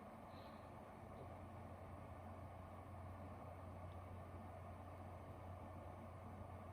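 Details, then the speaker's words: Seagate STGY8000400 Desktop 8TB USB 3.0 external hard drive at idle, with the mic held very close to the fan and air vent: a faint, steady low hum and soft airy hiss, with no ticking or clicking. Normal idle hum. "right so that's about five seconds of silence for me where I'm standing I think they're really close I could hear like a low humming noise you know to it but beyond that you don't really hear much"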